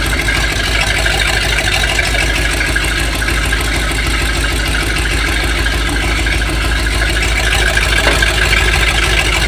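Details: Tractor 7600 diesel idling with an uneven, lumpy beat about three times a second: a rough idle as if a cylinder is misfiring, after coolant found and cracked glass; owner suspects something going out the exhaust valve, cause not confirmed.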